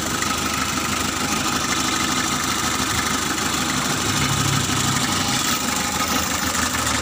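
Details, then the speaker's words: Mitsubishi L300 diesel just after engine overhaul, started easily with radiator not yet installed: even, steady diesel idle with constant knock rhythm, no misses or hunting; healthy normal idle. "giờ thì ơn trời, khởi động dễ dàng rồi, các bạn ạ, chúng ta bật chìa khóa điện, khởi động,"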